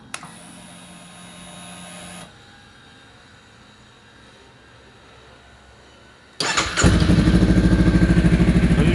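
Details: 2017 Honda Rebel CMX 500 after a fuse repair, started in neutral: quiet stretch, then the engine catches and settles into a steady even idle with no misfires or knocking; healthy start.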